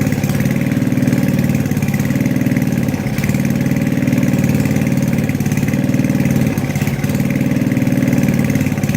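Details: Tecumseh 4hp engine on an Estate snowblower, just after a carb rebuild with a makeshift governor fix: steady low putter at even speed with only slight governor dips, no stumbling. Normal running.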